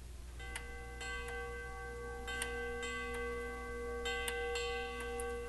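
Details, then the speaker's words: Grandfather clock tube gong struck with a soft pink pencil eraser to test hammer hardness: soft rounded strikes with clean sustained mellow tone, little high clang; hard hammer leathers cause high-frequency resonance, so worn leather pads need replacing. "And so it's uh it's fairly clear that having a hard hammer causes a high frequency kind of resonance or vibrations in the in in the pipe."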